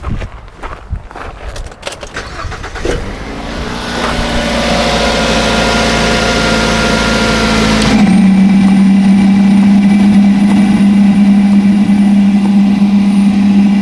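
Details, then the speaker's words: 2009 Ford Fusion, codes P0410/P0491, engine running: electric secondary air pump hums steadily; pulling diverter vacuum line gives no pitch or airflow change though diaphragm works; diverter valve stuck shut. "no change now I can hear I can hear the diaphragm part working but I did not hear an airflow change on the discharge side of this diverter"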